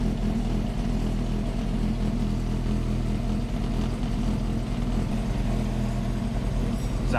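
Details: Ford XR2 crossflow four-cylinder on newly fitted Omex individual throttle bodies, replacing a Weber-style carburettor: a strong, even low rumble holding steady without stumbles or pops. Running cleanly.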